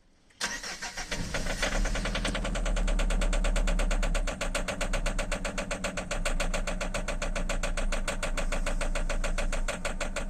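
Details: 2008 Citroen C5 X7 no-start, regulator and fuel pressure suspected: starter spins the engine steadily at about four even compression beats a second for ten seconds without firing.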